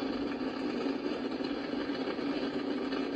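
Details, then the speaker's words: Icom IC-746 Pro on an MFJ switching power supply, tuned to 162 MHz weather station: only steady hiss with low hum, no station audio; receiver not receiving, cause unknown (dirty DC, voltage or bad components suspected). "yeah i don't hear the weather station like i'm normally able to nothing just that noise"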